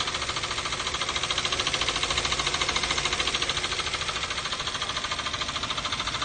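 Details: 2012 Toyota Avanza, 1.5 L 3SZ-VE I4, at idle: sharp, regular ticking knock about 200 a minute, unchanged after an oil change and all four spark plugs replaced. Engine knock, cause unknown.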